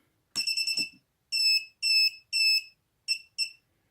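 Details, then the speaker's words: Mobula7 FlySky quadcopter with Turnigy Evolution transmitter, arm switch in the middle position: high shrill warning beeps with no motor spin, meaning it refused to arm; a battery power cycle then let it arm. "so put that in the middle position that's not good if you hear that beeping that means it's not armed let's try that again"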